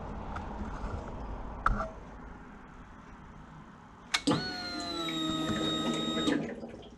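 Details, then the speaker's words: 2003 Honda RC51 SP2 at key-on, tank refitted after repairing rodent-chewed wiring harness: thin electric fuel pump whine for about two seconds, then cuts off cleanly, with fuel return heard; normal priming. "Perfect. So I could hear the fuel pump running. I could also hear the return of the fuel back into the tank."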